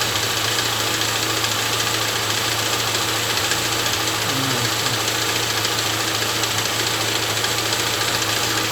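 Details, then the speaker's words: Chevrolet Niva at 6000 km, first start after winter storage, idling: steady light tapping apparently from under the valve cover, gone when revved, returns at idle; owner suspects too-thin warranty-service synthetic oil (Petro-Canada) draining down during long standing. "И появился стук какой-то. Пробег 6000. Вот смотрите сейчас. И похоже, что это из-под клапанной крышки идет стук."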